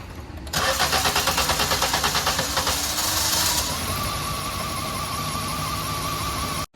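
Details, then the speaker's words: 2022 Maruti Swift petrol, about 50,000 km, poor mileage, started after sitting two hours: about three seconds (around 10 cranks) of steady starter churning before catching and settling to idle; hard start traced to leaking injectors, all four replaced. "നമ്മുടെ ഷോപ്പിലേക്ക് കൊണ്ടുവന്നു കൊണ്ടുവന്നിട്ട് രണ്ടു മണിക്കൂർ നിർത്തിയിട്ടിട്ട് wiper start ചെയ്യുന്ന സമയത്ത് start ആവാൻ ഭയങ്കര ബുദ്ധിമുട്ടാട്ടോ ഏകദേശം ഒരു 10 ക്രാങ്ക് എങ്കിലും എടുക്കേണ്ടി വരുന്നുണ്ട് ഒന്ന് സ്റ്റാർട്ട് ആവാനായിട്ട്"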